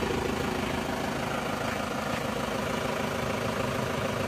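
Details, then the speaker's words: Isuzu Panther diesel (Euro 2, Jogja plate AB), cold after engine overhaul, not yet tuned, idles with steady, even, quick clatter, no misses or knocks; running smooth and level. "Alhamdulillah suaranya bisa kembali normal ya halus dan rata"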